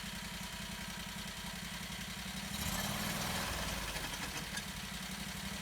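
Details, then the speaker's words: 670cc Predator V-twin in a 1969 Renault, in first gear, throttle blipped: lumpy idle rising freely in pitch but no drive to wheels; pulleys turn but support bearing doesn't, so fault suspected between engine and transmission, not the transmission. "Ooh, that doesn't sound good. Now we can see when I goose the throttle, the pulleys are moving. However, I don't see this support bearing back here moving."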